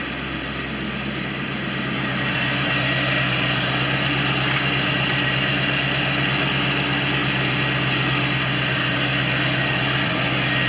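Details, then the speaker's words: 1989 Corvette roadster V8 after ignition module replacement (no spark before) and Bosch III injector install, described as much smoother: steady, even idle with a constant low hum and no misses, knocks or ticks; normal idle. "she is so much smoother"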